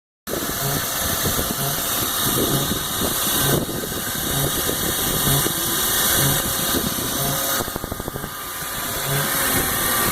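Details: BMW E46 petrol engine at cold idle with a low pulsing "Chewbacca"-like groan; fixed by replacing the oil/air separator (crankcase ventilation valve).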